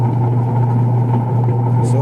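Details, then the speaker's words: Single-tub washing machine on wash, empty, agitating forward and reverse before repair: steady, loud motor hum with a coarse, rough drone; worn gearbox. "yung timer niya naman may forward may reverse so Ayan narinig ninyo maingay"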